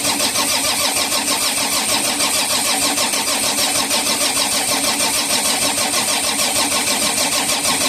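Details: Volvo EC210BLC excavator with D6D diesel, after a new primer pump was fitted: steady rhythmic starter churning at about three beats per second with no firing. Air in the fuel system; engine started after bleeding at the rear cover.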